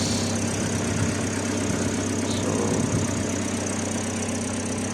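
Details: Engine started after sitting over a year, with new replacement ECU fitted: smooth even idle with a steady low hum, no knocks, misses or surges; healthy.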